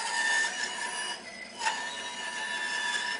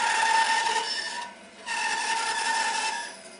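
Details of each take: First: Bandsaw with 3/8-inch blade cutting a curve tighter than about 2-inch diameter: steady high motor whine sags and thins as the blade slows and starts stalling; radius too tight, needs a 1/4-inch blade. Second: Bandsaw with 3/8-inch blade cutting a 3-inch circle from a 4-inch blank with steady pressure: even, steady rasp with constant tone, no bogging or stalling; normal free cutting.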